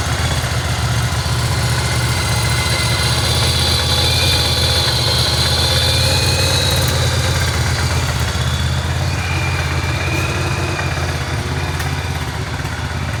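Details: 1985 Yamaha Virago 1100 V-twin, stored 8 years, fresh fuel and new battery: idling on full choke with an uneven, lumpy beat and wavering pitch; carbs suspected to need cleaning, not confirmed.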